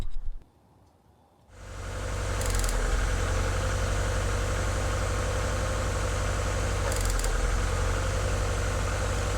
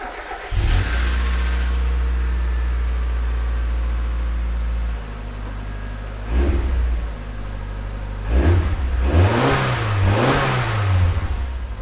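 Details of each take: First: 1996 Mazda Miata four-cylinder petrol engine, bad misfire after driving in rain: it catches and settles into a lumpy idle with a recurring stumble; cylinder two suspected, with an arc trail found on its plug wire. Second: 1996 Mazda Miata after misfire repair: starts cleanly, settles to an even idle and takes several crisp revs with no stumble or skip; misfire gone, running smoothly on all cylinders.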